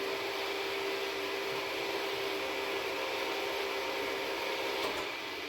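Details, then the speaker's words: First-gen Kia Soul EV, rear electric parking brake released via scan tool actuation, no codes, before brake and bearing replacement: steady mid-pitched motor whir for about five seconds, then stops, as the brake unwinds normally. "Then we're going to do an actuation by disengaging the parking brake, and you'll be able to hear it as it goes. So now it's unwinding."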